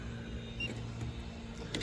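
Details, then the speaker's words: Residential central AC outdoor unit not cooling: compressor gives a low steady hum without starting, drawing about 73 amps; the dual run capacitor looks swollen and failed, keeping both compressor and fan from starting. "it's going to try to start up she looks a little swollen too there it is compressor almost getting 70 something amps of power"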